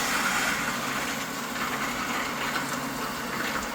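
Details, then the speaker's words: Pump recirculating caustic bath during caustic wash procedure: steady even rush of liquid over quiet motor, no rattling, crackling or surging; running normally without cavitation. "You can hear it's quiet. It's not rattling or very loud, so you can tell it's on and running."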